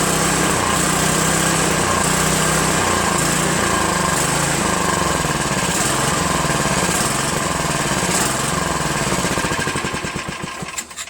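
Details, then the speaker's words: Craftsman OHV 5.5hp 26-inch dual-stage snowblower before repair, after a quick bowl clean and linkage adjustment: engine speed hunts up and down about every second, won't idle without stalling, then dies; surging from faulty carburetor, later replaced. "Won't even go down to idle without stalling. So I'm going to take this apart and see exactly what's going on with it."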